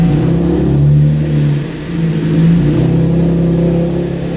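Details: 2012 Chevrolet Camaro V6 after alternator and serpentine belt replacement, battery at 12 V before start: catches and settles into a smooth steady hum with gentle rev rise, no belt squeal or chirp; charging voltage rises.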